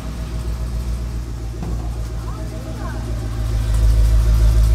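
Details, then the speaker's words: OBS Chevrolet Cheyenne truck, 1988, LS-swapped 6.0 V8 with 4L80E, first cold start of the day: steady, deep, even idle, no knocks or misses over the rumble. "there she goes right on the money this is the first start of the day actually give you a cold start"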